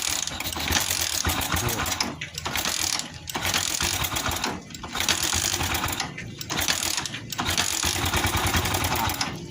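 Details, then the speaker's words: Office motorcycle leaking at clutch/gear area, already would not start before teardown: repeated clattering, ratchety cranking bursts with short pauses, engine never catches; cranks but will not start. "Pokoknya ini udah nggak ngetop, udah nggak ngetop, dan jadi nggak bisa nyala ya. Sebelum dibongkar udah nggak bisa nyala si si Joker, jadi gua langsung bongkar aja ya."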